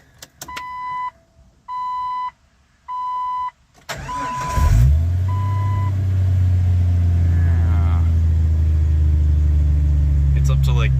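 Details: 1997 Jeep Cherokee, 4.0L, AX-15 manual, 315,000 miles, clutch fan removed, check engine light on: door chime, then it catches and flares up, holding fast; high idle from a vacuum leak.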